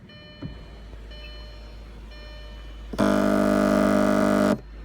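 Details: 2006 Audi A8 with car running and sunroof assembly removed: the sunroof wind deflector motor runs for about a second and a half with a harsh, buzzing grind.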